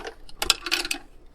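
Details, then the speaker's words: 1953 Heathkit BR-2 AM broadcast-band tube receiver, as found and never plugged in, being moved near the microphone: quick bursts of light clattering and ticking as loose parts, possibly tubes, roll around inside the chassis; a screw fell out of the bottom. "get over here next to the microphone you can hear that rattling around"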